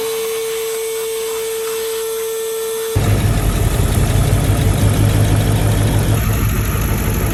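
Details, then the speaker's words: 1995 Mercedes S500 (W140) V8 at idle after a short tone: faint uneven stumble, a slight miss; spark present at every plug wire, fouled plugs suspected, cap and rotor to be cleaned and plugs replaced. "But you can tell the engine is slightly missing. It's running great, but it definitely has a slight miss."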